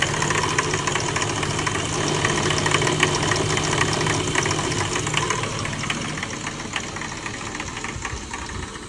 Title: E36 M3 clanking/ knocking noise. Please help!!